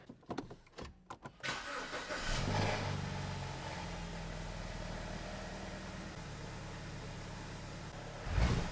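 A few clicks, then a brief crank, a clean catch and a quick flare settling into a smooth, even idle; this engine sounds healthy.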